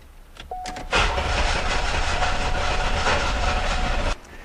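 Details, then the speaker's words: 1991 or 1992 Oldsmobile 98, gas pedal held down to open the throttle plates; steady starter churn for about three seconds with no firing, and the open throttle made no difference; cranks but won't start. "Okay, so opening up the throttle plates made absolutely no difference."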